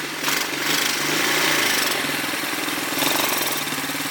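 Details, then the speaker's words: Revived ATV, small single-cylinder engine: ticking over fast and steady, a bit quicker than normal; running pretty good but idle set slightly high. "so she's running pretty good right now a litter I don't hear it for a bit sadly a little bit high but uh she takes it now"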